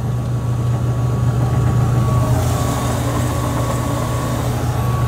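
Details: Gas furnace after an owner-installed blower motor replacement, new belt with about 1 in of play: constant low hum with a steady faint tone, no squeal or belt slap; the fan had been running continuously without shutting off.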